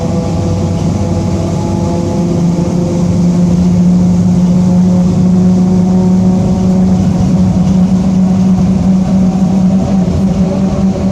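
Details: 2007 Mercedes-Benz OF-1722M bus with Torino body, cruising in service: a steady low growling drone under the diesel, holding an even pitch with road speed; differential growl from a worn rear differential.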